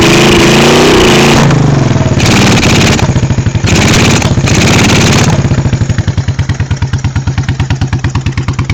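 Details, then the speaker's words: 1986 Honda Shadow 1100 V-twin, very high mileage: loud uneven beat about three pulses a second, stumbling through revs to a loping idle; the rear cylinder misfires, with puffing back through its carburetor. Cause unknown. "the rear cylinder misfires in a weird way I'm I don't know what's wrong with it"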